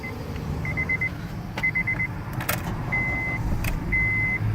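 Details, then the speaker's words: 2011 Honda CR-V, cold start below freezing: started right up, even low idle hum, no knocks or squeals, door chime and keys rattling; normal cold start idle. "right up. No startup noises. Sounds good."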